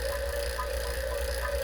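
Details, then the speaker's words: R-600a refrigerator being evacuated after drier filter replacement, vacuum pump running: steady pump drone with a gurgling, bubbling note that grows quieter; air still in the system, keep pulling vacuum until it fades. "listen to the gurgley you want to wait for that to go away completely to know there's very little or no air left in the system listen how it gets quieter as it's running"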